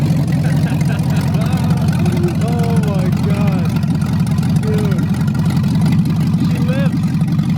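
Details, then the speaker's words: 1987 Chevy S10 with LS V8 swap and open headers, restarted after sitting six months: deep, steady rumble idling down quickly to about 900 rpm; normal idle, very loud. "that is so loud it's literally at 900 rpm dude she's been dead for like six months just sitting and it idles down so fast and properly god it's beautiful"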